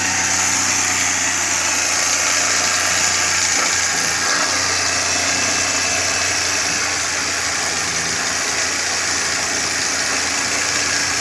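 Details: Carbureted Suzuki Cultus, CDI and ignition coil replaced for a warm-engine misfire, warmed three to four minutes: an even, steady idle with no stumbles or misfire beats. It sounds healthy.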